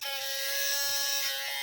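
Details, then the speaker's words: Sony A7 III camera, powered on: a continuous high, razor-like electric buzz, very loud, like a mole cricket inside; typically a faulty in-body image stabilizer (IBIS). "Nah, kalau kayak gini biasanya ini dibis atau stabilizernya ya. Berisik banget suaranya. Kayak kemasukan orong-orong."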